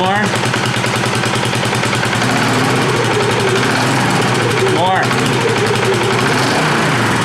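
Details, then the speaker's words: 2018 Polaris Sportsman ACE 570 after rebuild following mud flooding, in neutral, revved: steady even single-cylinder chatter, no knocks or slipping; engine and clutch responding well. "Okay. Responding well."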